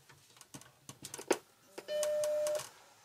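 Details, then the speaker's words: Vintage Macintosh after adjusting power supply 5 V rail from 4.5 V to just over 5 V (12 V at 12.2): clicks then one clean, steady chime; normal startup bong. "so a little bit of tweaking and we're just over 5 volts on the 5 volt rail and you heard the computer bonged when I turned it on"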